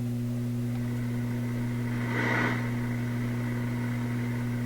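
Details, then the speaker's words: Loewe Opta Type 5966 tube radio at initial power-up on reduced voltage, one speaker connected, volume low: loud steady low hum unchanged by volume; mains hum. "Yeah, there's a pretty good hum."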